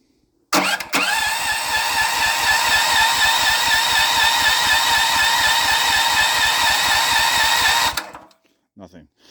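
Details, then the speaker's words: Auction Honda 15HP engine, battery hooked up, fuel on, choke on, ignition-switch kill wire disconnected: steady starter cranking about two beats a second for seven seconds, never firing; cranks but will not start, spark test next, cause unconfirmed. "okay last try for now let's to see if it does anything nothing so we're going have to do a spark test and some other tests on it"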